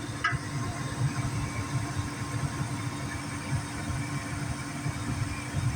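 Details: Gas furnace after igniter replacement (previously not igniting), igniter glowing and burners lit: low steady burner rumble, constant hum, soft irregular puffs, no clicking or failed ignition. Normal furnace operation, fix successful.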